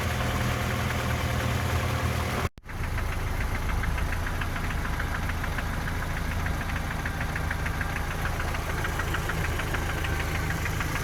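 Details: 3S-family engine in a VAZ 2121 (Lada 4x4) at idle: sharp light tick about three per second near cylinders 3 and 4, by the camshafts or lower; valve clearances, gear and cam beds already checked; top-end knock, source unclear.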